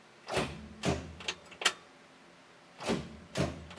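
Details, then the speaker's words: 1967 Chevy Corvair four-door, not run in over 20 years, first start attempt in neutral with the clutch in. Six or so heavy single clunks with no cranking: the starter engages mechanically but the engine won't turn over. Solenoid not suspected. "that that sounds like the star is engaging well I don't think it's the starter solenoid because it sounds like we're getting mechanical engagement"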